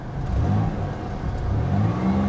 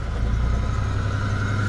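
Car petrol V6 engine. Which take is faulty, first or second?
second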